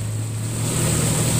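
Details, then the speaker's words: 2002 Nissan Xterra 3.3L after all six injectors were replaced to fix a random P0300 misfire, with the number five injector clip fully seated: a steady, even low idle hum with no stumbles and no more puffs from the tailpipe. "but man what a difference it's smooth you"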